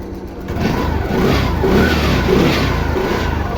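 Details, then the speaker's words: TVS Jupiter BS6 scooter with hard starting and stalling, started after fitting another spark plug: uneven surging note that won't hold a low idle; mechanic suspects stuck ISC valve built into the ECM. "ഞാനിത് വേറൊരു plug ഇട്ടു plug ഇട്ടപ്പോൾ വണ്ടി start ആയി പക്ഷേ slow സ്പീഡിൽ നിൽക്കുന്നില്ല പ്രശ്നമുണ്ട്"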